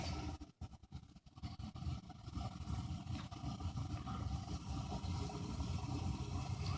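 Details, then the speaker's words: Bryant 70% furnace 394GAZ048125 from 1990, three-wire bimetal pilot, cracked heat exchanger cells: after lighting, blower starts with a low uneven roaring rumble that stays heavy; the noisy blower is the service complaint. "okay we're lit now you'll hear it when the fan starts up because it's louder and heck and that's the reason why I'm out here is because it's m blowers making noise"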